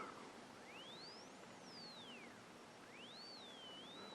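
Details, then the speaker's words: HP 606A RF signal generator, crystal calibrator at 100 kHz, modulation off, 165–560 kHz range near 300, heard on high-impedance headphones: thin whistle sweeping in pitch over hiss, the beat between variable and crystal oscillators, silent at null. "What we're hearing is the difference between the variable oscillator and the crystal oscillator. When they're exactly the same, you don't hear anything."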